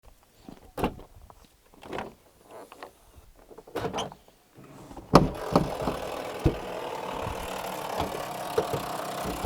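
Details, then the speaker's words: 1998 Range Rover P38 2.5 diesel: door lock actuator clunks repeatedly on its own, about two a second; owner is pretty sure the lock button's spring is broken so it stays pushed in, making the central locking cycle. "pretty sure the cause of that is this button um the spring's just broken in it so whenever you push it in it doesn't come back out again so the actuator is kind of just itself basically"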